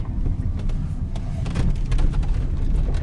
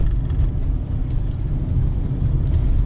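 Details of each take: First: 2019 Lada Granta liftback, 47,000 km, driven over rough pavement: short irregular creaks and ticks over heavy road rumble, coming from the left and right door pillars; squeak began around 20,000 km and worsened by 50,000 km. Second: 2019 Lada Granta FL liftback, 47,000 km, after lubricating the door lock striker bolts: steady low road rumble over potholes, speed bumps and gravel with no creaks from the door pillars; quiet door locks over bumps.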